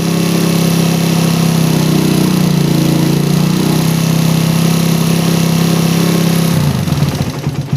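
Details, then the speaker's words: PE28 carburettor with the original needle, air screw closed 1.5 turns to only 1 turn out: a steady idle for six seconds, then it stumbles, loses rhythm and stalls, choked by a too-rich idle mixture. "Nah, tapi idle jadi mati guys ya. Jadi terlalu basah untuk RPM idlenya."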